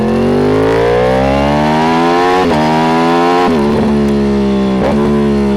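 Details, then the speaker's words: Yamaha R1 with stock exhausts temporarily fitted while its Two Brothers aftermarket exhausts are off for cleaning; clean, even revs climbing and easing back through blips, smooth and very quiet with no misses or rattles, a normal stock exhaust note. "You probably can't hear it at all because it's so quiet, and that's probably one of the only benefits of having stock exhaust on, is making videos like these for first, because suddenly the exhausts aren't trying to tower over you when you're trying to talk"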